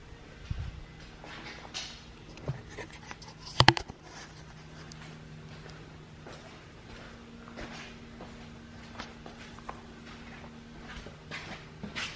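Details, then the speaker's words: Lexus RC F parked in garage: faint steady low hum from the rear; owner suspects an automated self-adjustment, as a similar noise on an RC 350 was the fuel evaporator system; humming noise, cause unconfirmed. "I was about to get something out of the car and I'm hearing this noise so I don't know what it is it's coming from the rear so let's take a listen"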